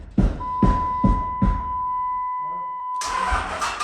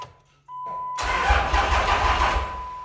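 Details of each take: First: Diesel truck with no fuel yet connected; a line to the CP3 high-pressure pump is still being run. Steady slow cranking at about two and a half beats a second with a dash chime; it turns over but never catches. Crank, no start, no fuel. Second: Diesel truck (CP3 pump, AirDog), fuel system not yet connected: chime, then brisk, even starter cranking about 1.5 seconds with no dragging or clicking; won't start without fuel but cranking sounds healthy.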